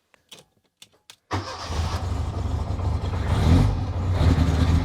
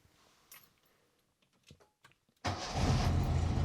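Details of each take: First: 1985 Lancia A112 Abarth, 1050cc Fiat engine, started cold: it catches after a short crank, then idles slightly rough with small surges, attributed to being cold; rough idle on cold start. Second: 1985 Lancia A112 Abarth, 1050 cc Fiat engine, after replacing a badly worn distributor cap and rotor; a few quiet clicks, then it fires at once and holds a steady, even idle without misses.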